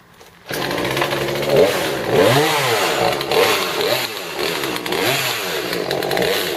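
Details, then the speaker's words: Old Poulan 3314 chainsaw with 16-inch bar, non-original carburetor being adjusted mid-cut: revs high and bogs repeatedly, fluttering in the high rpm range under cutting load, doesn't run right. Cause not confirmed. "so as you can see it doesn't quite run right so I've been messing with it as I've been cutting because I like to adjust them finally mid cut because that's where they're really gonna need to perform you could hear it fluttering a little bit the high rpm range around mid cut"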